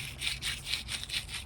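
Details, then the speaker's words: Chinese skid steer idler wheel ZZ ball bearing spun by hand after about 60 hours: dry gritty rasp pulsing about four times a second from sand inside, still better than the failed tapered bearings; collars added to keep dirt out. "you can hear it. There's sand in there, but it's still way better than those other tapered bearings."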